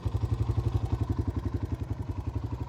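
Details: Kawasaki KLX 150 after road test, new RER 150 carburetor fitted, carb not overflowing, CDI socket loose contact repaired: regular low thumps at about ten per second, evenly spaced with no misses; steady, healthy idle.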